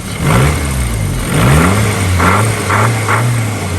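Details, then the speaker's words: Isuzu Piazza with a new distributor cap but still a worn rotor arm, and a tightened alternator. Revs rise and fall with an uneven, stumbling note, a misfire at higher revs. Smoke is visible and the owner thinks the turbo needs looking at; the cause is unconfirmed. "but revs i said we've still got a knackered rotor arm"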